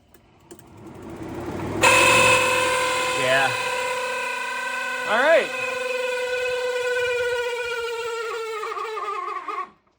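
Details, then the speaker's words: 1985 Pontiac Trans Am cooling fan, key on, relay grounded to simulate engine at temperature: loud, steady high whine with a rough edge, winding down when cut; fan motor suspected bad, possibly why a wire at a Scotch-lock connection burned. "Oh. Well, that sounds terrible. So I'm pretty sure I need a cooling fan motor because that is not very good sounding at all."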